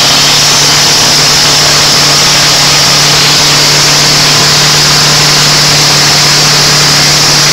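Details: Land Rover Defender 200 TDI diesel started for the first time after a year's rebuild, running away on its own oil: loud, steady high-pitched scream held at full revs with no let-up.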